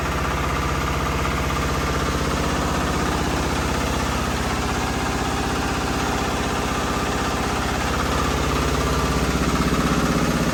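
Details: 1975 John Deere 300 converted for winter use, fitted with a Chinese diesel: it catches, and even, fast clatter at about four beats a second settles into a smooth normal idle.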